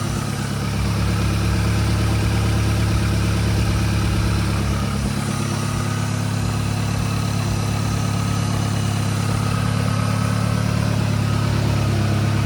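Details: VW MK7 GTI first start after a full engine swap; low, steady, smooth idle with no knocks, misses or hunting, healthy engine.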